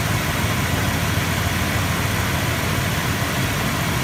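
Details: Vehicle idling after starting a week after battery reconditioning with a Topdon Tornado 4000 4A charger: steady, even idle with a low rumble and no misses or knocks. It runs healthy.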